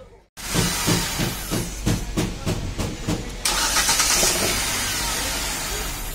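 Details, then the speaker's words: Hyundai Xcent after replacing the defective, slipping starter motor bendix that made cranking miss: steady, even cranking pulses, then it fires and settles into a smooth, hissy idle, normal cranking and start. "सो इसमें जो उसका बैंडेक्स था वो defect था, सो उसे हमने replace कर दिया है।"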